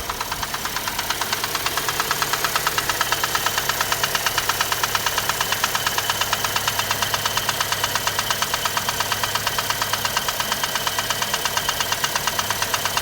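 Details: Chevrolet Cruze with 1.8 Z18 engine at steady idle: sharp, regular tapping about three times a second that does not fade, an internal engine knock.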